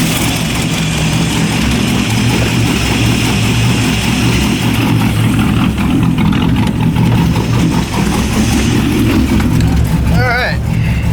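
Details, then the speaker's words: LS1 V8 swapped BMW E30 just after an MSD 6014 box was installed in place of a 6010; loud, lumpy idle with a brief rev blip; fires right up but runs a little rough, cause still unresolved. "everything seems to be running all right it's around a little rough [Music] all right well still have some issues to work out here"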